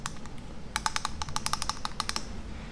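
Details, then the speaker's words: Boosted Board Mini S hub motor removed and spun hard by hand: low-level humming and sharp light clicks from a little bearing play; owner's knocking noise, failed attempt to open motor, fixed by replacing the motor. "spin this really hard to hear you can hear like a low-level humming and it has like a little bit of play"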